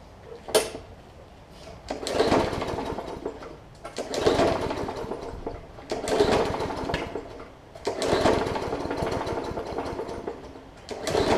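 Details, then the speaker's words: Hyper Tough Briggs & Stratton OHV push mower with plastic carb that sat over winter with water in the fuel: pull-start bursts about every two seconds, sputtering and half-catching until the water clears; rough running from water in fuel. "excellent so all it was doing is it just needed to fight the battle with the water that was still left in there"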